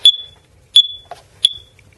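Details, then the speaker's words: Carbon monoxide alarm made in 2003 gives three short, shrill beeps then silence; battery change didn't stop it; red light flashing about every 30 seconds means the 7-year lifespan is past and the whole unit must be replaced. "thought it was the battery so I changed the battery and it's still beeping"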